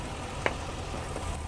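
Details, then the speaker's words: 2009 Chevy Express V8 with code P0300: no spark at any coil on one bank while cylinder 8 sparks, from lost coil power. The idle is lumpy and uneven with a thin exhaust pulse. "I pulled the wire off every single coil pack and none of them are firing."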